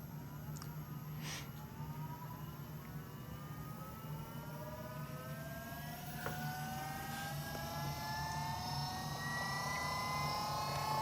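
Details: Ford AU Falcon skid car fitted with a Holden Astra power steering pump, serpentine belt setup, car on the ground: whine climbing steadily in pitch as the wheels are turned, pump straining under load.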